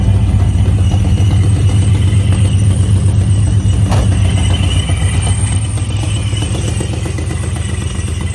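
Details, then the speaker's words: Supercharged Vortech 2V V8 on Holley Terminator X EFI, still untuned, idling at about 29°F: loud lumpy idle with a rapid regular puffing tick from a driver's-side header exhaust leak that feeds fresh air to the O2 sensor, causing false lean readings. "before i start the car it does have an exhaust leak right now so it is it's still untuned"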